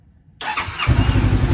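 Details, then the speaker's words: 2013 Honda CBR500R twin, restored after salvage-auction wreck, first start after fuel pump priming: short crank, fires right up at once and settles into a steady, even idle; normal healthy start. "yes there we go and it sounds so good wow all right i'm gonna kill it did you hear that that was amazing and it fired right up so quickly"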